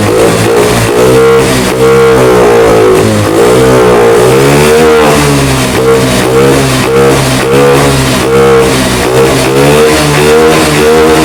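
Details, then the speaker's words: Honda BeAT FI digital scooter (ACG matic) after repair: repeated blips rise and fall cleanly, revving freely without stalling; MIL no longer blinks and bogging on acceleration gone, though it still bogs at full throttle from another cause. "Oke teman-teman untuk lampu mil di sini sudah hilang Tidak berkerip lagi ee namun di awal pertama kita Nyalakan saat ee digerung digeber gas ditarik ini muncul kedipan dan motor ngempos namun sekarang normal"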